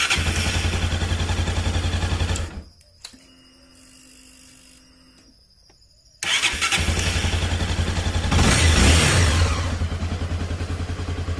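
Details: Honda CB300 after repair of a starting crack/whistle: idles, shuts off, then restarts instantly with a clean catch and steady running.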